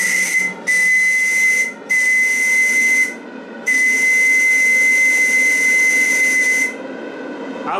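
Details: Live-steam RC model boat (Bavaria project) on its first heat-up test, boiler half-filled and gas-fired with regulation: shrill, steady high whistle with airy hiss in four blasts, pitch holding firm; steam whistle sounding normally.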